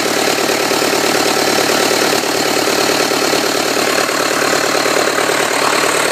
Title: 2006 4 5b cummins just after rebuild